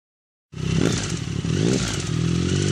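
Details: 2009 Triumph Speed Triple, 50,000 km: fast, light ticking over the triple's running note that follows the revs. It began mid-ride and persisted after a dealer timing chain replacement; the dealer suspects the middle cylinder. Source still undetermined.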